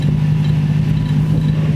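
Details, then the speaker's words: 1990 Toyota truck after repairs and compression test, test drive: low uneven burble over steady idle drone, revs come back down and sputter almost dying; rough running, cause not pinned down. "But one thing I did notice that like getting it up and then it would come back down and it' like sputter and almost die."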